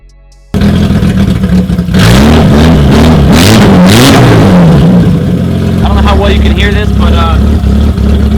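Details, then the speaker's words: 1988 BMW E30 325is barn find started after long storage: engine catches and runs roughly, revs surging and sagging; owner suspects it is burning through old gas, tank nearly empty, needs fresh fuel. "letting it sit for a bit i think it's just running through some old gas maybe uh it's pretty much on east so we're gonna have to fill it up with some new gas sounds like it's getting a lot of the kicks out"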